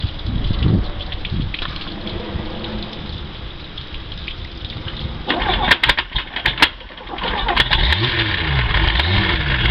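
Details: OMC Cobra sterndrive on a Four Winns boat after impact damage on the lake: rough gritty churn and scattered sharp clacks as the lower unit chews up its gears.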